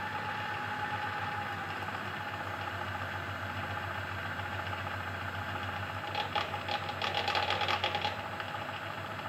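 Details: Belt variator drive turning at very low speed after belt adjustment, tested without oil: steady machine hum with two brief bursts of dry rattling, the only remaining rattle.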